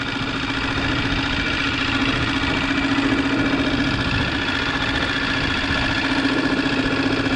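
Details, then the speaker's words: Lehr 2.5 propane outboard, bought new, on a 14-foot aluminum boat, running at low speed. Even steady putter with a constant hum, no misses or knocks; a nice-running little motor. "So it's a really nice running little motor."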